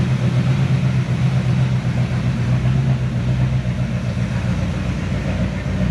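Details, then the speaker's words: 1970 Chevy C10, 327 small block, HEI distributor installed wrong, cap and rotor junk, hard hot starting: deep, lumpy, stumbling idle that is smelly and noisy, rough running from incorrect ignition timing. "shut it off for the love of God damn stinky and noisy runs like crap"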